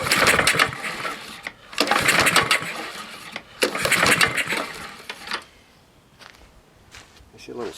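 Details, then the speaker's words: Husqvarna lawnmower with a JB-welded part and fouled plug: rough surging bursts cutting out, with clunks. Low compression; bad rod, bent pushrod or valve suspected. "coming out of a exhaust i don't like that clumping noise should we have clearance under here oh this might have a bad rod or something"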